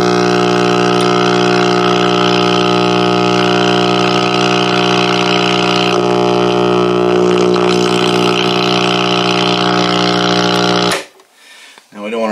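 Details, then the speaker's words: 1959 Westinghouse H673T5 dual-speaker AM tube radio (chassis V-2390-3), unused about 35-40 years, tubes warmed up: loud steady low buzz unchanged at zero volume until switched off; 60 Hz power supply hum from failed filter capacitors after the 35W4 rectifier. "Basically, as the electricity is coming off the 35W4 rectifier tube, it is direct current, but it's dropping up and down in voltage so much that you get the equivalent of the 60 hertz hum off of the AC. And that was extremely loud, and the volume was all the way down."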